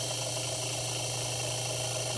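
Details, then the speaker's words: Household fan that had stopped turning, after lubricant was applied to the seized motor shaft, on high: a steady low hum and smooth, even whir with no grinding or squeak; the fan now runs normally. "oh and you hear it just get softer now it's not even grinding or anything super smooth now that's in high"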